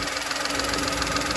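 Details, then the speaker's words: VW Polo with code P0068, check engine light, positive fuel trims: idle hum under a constant airy hiss of air drawn through a hole worn in a plastic breather pipe by vibration; vacuum leak. "I think it's just enough of a leak air leak to cause a check engine light or cause an issue"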